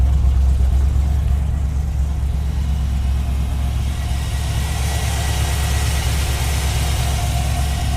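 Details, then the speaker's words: 1970 Chevrolet Suburban V8 just after cold start, given a little gas: steady, even rumble through loud exhaust with no misses or knocks, running rather rich; healthy idle. "she's running pretty good pretty rich overall very solid ride"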